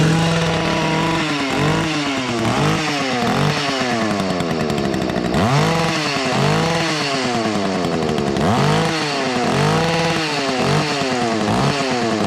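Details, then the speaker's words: Two-stroke whipper snipper (string trimmer) after spring start-up: revs up and drops back cleanly repeatedly, four-stroking slightly and hitting the rev limiter; runs healthy, normal two-stroke. "Well, she's for stroking a little bit and hitting the rev limiter there, but uh that sounds like a damn good running whipper snipper all these."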